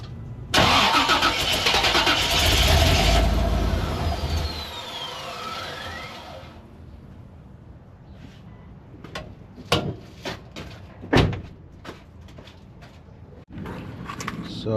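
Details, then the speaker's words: 1988 Chevy Suburban 7.4L 454 V8, fuel pressure gauge fitted, no pressure seen: starter cranks, engine catches and runs a few seconds then dies; owner suspects bad fuel pump, gauge still to be verified. "there was no pressure at all but you guys could hear that the truck tried to start"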